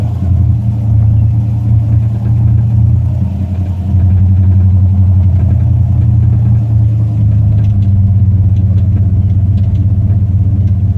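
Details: 1968 Cadillac hearse on a drive: a low V8 rumble with a faint, fast light tick as it revs; a newly started clicking or tapping that owner cannot place, possibly steering or engine-mount related.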